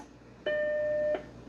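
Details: Macintosh 512K with socketed logic board, powered on with a TashTwenty solid-state drive on the external floppy port; one clean steady tone about two-thirds of a second, the normal startup chime before it boots into Mac OS.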